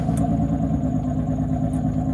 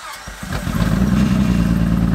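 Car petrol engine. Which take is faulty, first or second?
second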